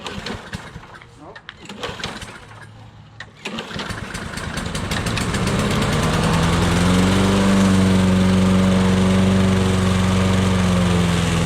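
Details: Old Toro lawnmower that sat unused for years. After a few seconds of quiet handling it catches, climbs in speed and settles into a steady, even run with no misfires. The owner suspects a sticking float (it drips fuel) and says it wouldn't shut off. Normal start and run.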